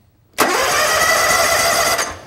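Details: Lawn tractor/mower cranking during a voltage-drop test across the solenoid: strong even whirr for about a second and a half, no slowing or clicking; starter and solenoid healthy.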